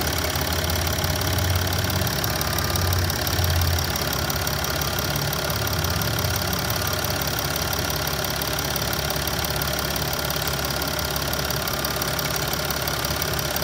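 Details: 2009 Mercedes GL320 BlueTec, OM642 diesel, 168k miles, hot engine at idle, oil cap off blow-by test with and without PCV plugged: loud rushing hiss over the clatter; owner unsure whether blow-by is excessive or normal.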